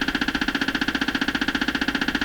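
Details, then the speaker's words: Stewart Warner R514 tube radio during restoration, tuned to the AM band. Harsh, rapid buzz pulsing about ten times a second at a fixed pitch, steady throughout: interference from an unidentified source in the shop. Cutting power to the suspected device did not stop it. "there's something in my shop making this radio noise what you want to bet it's this cut the power okay i lost that bet what is making this sound in here"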